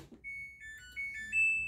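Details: Samsung digital inverter 8 kg wash / 6 kg dry washer-dryer, serviced for dirt and with no fault, powered on while selecting spin-only mode: a short upward melody of clear, high electronic notes; normal power-on chime.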